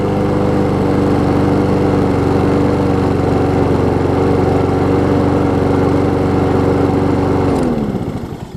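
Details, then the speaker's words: Troy-Bilt self-propelled mower fitted with a donor pre-2012 Honda engine, on restart. Steady, even beat for several seconds, then winds down; slightly low compression but normal running. "it does seem like it's a tiny bit low on compression, but it runs good."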